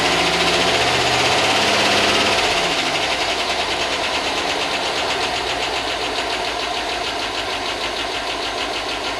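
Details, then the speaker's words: 2005 Chevy Tahoe 5.3 V8 that had not run in a long time, started after chasing a no-spark fault: a fast, regular light ticking of about 3.5 per second over the idle; owner hopes a lifter will pump up, not confirmed. "starts that go away it's running well it hasn't it hasn't run in a long time so hopefully the lifter pump up and that no away"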